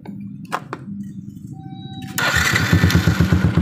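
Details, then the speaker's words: Yamaha Jupiter MX after fixing no-start (starter only clicked despite new battery) by testing the starter relay/switch: brief starter whir, engine catches at once and settles into a steady, even putt; normal electric start. "motor sudah kembali normal stater bisa nyala"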